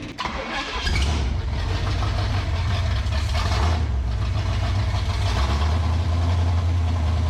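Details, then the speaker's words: 1967 Pontiac Firebird open-header V8, sitting for years, with the fuel pump lines corrected and idle turned up: an unsteady, stumbling idle with irregular pops, yet it revs and runs well; rough idle, owner doubts the carburetor. "hair motor sounds healthy as can be when revving and running good it just don't like to to idle"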